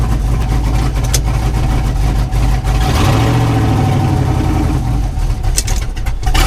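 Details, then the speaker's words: S10 drag truck, junkyard LS V8 with eBay cam, no cooling fan hooked up, coolant around 178°F and climbing: deep lumpy idle sags and stumbles when the transmission is put in gear, wanting to stall; idle needs adjusting. "we got Gears hopefully we have all the gears and the shifts good you can hear it kind of wanting to stall out so gotta play with that"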